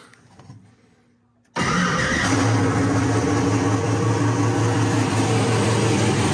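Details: Ford Mustang with single-turbo LS-based L33 engine, first start after turning off the ignition timing offset: catches at once and settles into a loud, steady, even idle; known vacuum leaks remain.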